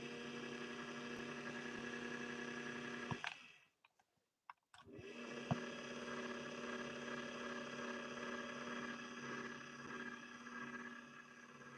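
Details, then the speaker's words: 1961 Singer 401A sewing machine motor, dirty clutch release with heavy build-up and smoke, run on foot controller: whirring with fast uneven flutter, cutting out and labouring at low speed, straining against resistance, nowhere near top speed. "can you hear that fluttering on it it's trying so hard it's trying so hard to press past the barrier that's holding it back right now"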